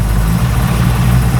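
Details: HQ Holden ute with a 350 Chevy V8: smooth idle around 800 rpm with an even lumpy burble and no misses, rattles or ticks; initial timing set to 10 degrees with the vacuum advance disconnected and plugged; normal idle.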